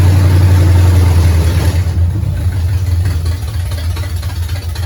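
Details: 1969 Pontiac GTO barn find, first run after sitting 17 years; engine from a 69 Pontiac Grand Prix, TH400, Quick Fuel 750cfm carb. Deep, even rumble, steady beat about 210 a minute, no knocks or misses; valve-cover blow-by, fluid likely smoking off headers. Runs pretty good.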